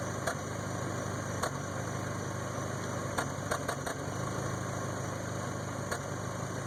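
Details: 1992 Toyota Camry 4-cylinder with rebuilt engine: rough idle with irregular sharp stumbles every second or two; misfire.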